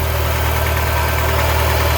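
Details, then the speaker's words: 1989 Shelby Daytona turbo, possibly swapped engine, started on 14-year-old gas after sitting nearly 14 years; fast, steady drone with no throttle input and no drop to normal idle; something suspected sticking, possibly the idle air valve. "somebody is so yeah something's something's sticking on it letting it go it sounds like Full Throttle it's scaring me because I don't want to blow it up"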